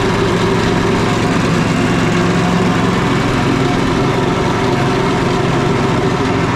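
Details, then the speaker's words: Small four-stroke petrol generator engine after fitting a four-stroke spark plug: steady, even drone at constant speed with no misfire; running smoothly, though a little too much smoke is suspected to be from overfilled oil. "okay it's like a little bit of too much smoke so what we do is we try to figure out how much oil we're gonna put on"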